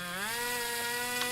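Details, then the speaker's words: 35-year-old OS Max 21 FSR glow engine for an airboat, freshly rebuilt, questionable cylinder lining: high buzz with pitch climbing as throttle opens while the fast needle is tuned; slight lean flat spot on initial acceleration. "Still got a little bit of flat spot there by the sounds of it when you initially open it up. So yeah, these things, it's literally one click can make all the difference, so it takes forever."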